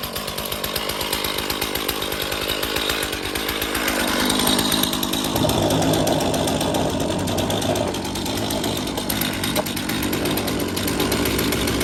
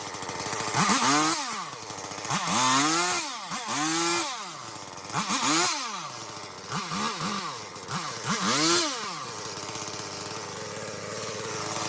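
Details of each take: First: I don't know why the chain is so loose. Weird. Really loose. Could hear it chattering away on there. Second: Chainsaw after chain tension adjustment, clearing cedar underbrush: revved in repeated bursts about every second and a half, climbing and dropping cleanly before settling to a steady idle; runs normally.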